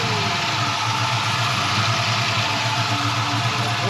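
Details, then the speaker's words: 1969 Chevrolet Camaro resto-mod, rebuilt gen IV 6.0L LS V8 (2024 build) with CVF accessory drive and T56 6-speed, just started: steady, even idle with a smooth low rumble, no knocks or ticks; runs clean. "6-liter last star's right off, just like you'd expect. No knocking, no weird noises."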